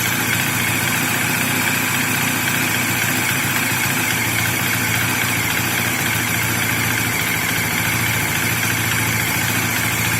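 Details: Bajaj Dominar motorcycle at a steady, even idle with a busy metallic ticking chatter on top but no knock or surge. The owner says this engine noise is completely normal. Normal idle.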